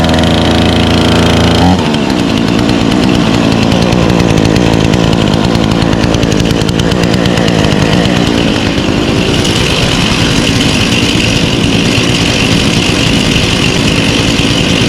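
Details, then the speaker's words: Grandfather's Craftsman chainsaw, rebuilt after dirt dauber nest: strong even two-stroke buzz holding steady revs after choke pushed in; runs clean without stumbling. "I rebuilt it, and it runs good now."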